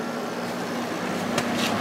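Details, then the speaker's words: Probably late-1980s Emerson Quiet Kool 6,300 BTU window air conditioner running: steady hum with faint buzzing vibration over airflow; fan motor shaft moves in and out, owner thinks a thrust washer is worn out. "I don't know if you can hear that vibrating sound but the uh the motor shaft is going in and out a little bit because then I think one of the thrust washers is worn out"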